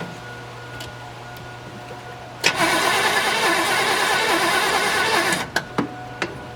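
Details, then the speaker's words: 1972 Chevelle Malibu, original small block with automatic transmission, sitting 15 years; starter fluid sprayed. About three seconds of cranking at roughly two turns a second with no catch; no spark, owner suspects the points and will check the coil. "pretty much what I thought I'm not getting spark at all"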